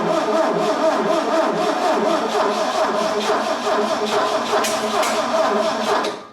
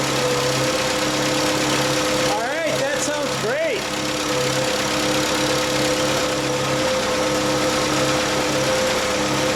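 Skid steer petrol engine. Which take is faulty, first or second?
first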